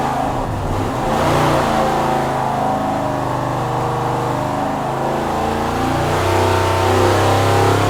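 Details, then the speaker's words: Mopar Max Wedge V8 on a dyno with a kickdown automatic, after throttle linkage adjustment, full throttle toward 6,000 rpm with air-fuel ratio 12.8–13.0. It screams, then stumbles and misfires near the top, with power dropping off at 5,700 rpm; fouled plugs suspected. "started a little bit at the top. It did a little misfire, right? Yeah, it started a little bit. Maybe the plugs are fouled up."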